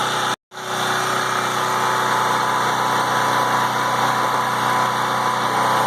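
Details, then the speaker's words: PowerIt 3800 W 4-cycle generator, 7 hp gasoline engine, idling after sitting over half a year and starting without issues: steady, even drone with no hunting, misses or knocks; idles smoothly. "I just want to make sure the generator burger started up pretty good for sitting already there we go guys start it up without any issues again"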